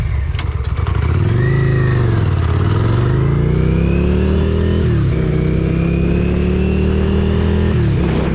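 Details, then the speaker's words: 1994 Yamaha Virago XV535 V-twin on a full-throttle test ride down a hill, droning at a flat pitch that stops climbing and won't exceed 55 mph; cause found to be failed carburetor vacuum diaphragms, later replaced. "wow that was pretty sad there's something wrong this should be able to go over 55 M hour"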